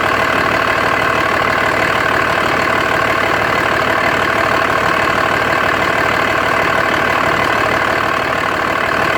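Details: 2004.5 Dodge RAM 2500 Cummins diesel at idle: steady clatter with uneven pulse about three times a second; rough idle, owner unsure if normal and notes excessive vapor from oil fill cap, suspected blow-by.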